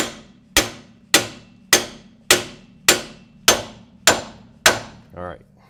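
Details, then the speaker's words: 2001 Ford Expedition rear axle clutch pack job: steady hammer blows driving in a new axle bearing, last strikes ring higher and bounce back as the bearing bottoms out fully seated. "those last two hits you should have heard a difference in the the tone of the sound because the bearing has bottomed out and it's right where it needs to be"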